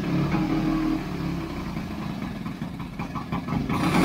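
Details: 1929 Scott Flying Squirrel twin two-stroke, first start after restoration: burbles at a loose idle and picks up cleanly on small throttle blips; normal running.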